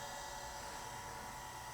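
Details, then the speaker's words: Cooling fan of a 1980s Chaplet Halikan LA-30A laptop (286, 2 MB RAM), powered up after shipping damage, runs with an even, steady whir and faint constant tone, no rattle or scraping; fan working normally. "Fan's working. [laughs] Wasn't sure if we'd get here or not."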